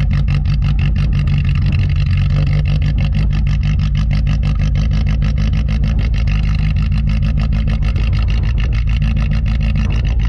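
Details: "Rescue" Tercel wagon idling just after a cold start at about -6 wind chill after sitting a couple of weeks; steady low putter with even pulses and no knocks, misses or stumbles; normal cold start idle.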